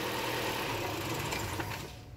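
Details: Chevrolet Cruze that was misfiring and smoking from the exhaust, after a ruptured valve diaphragm (large vacuum leak) was found: engine catches and runs briefly with an even note, no hiss or sucking noise.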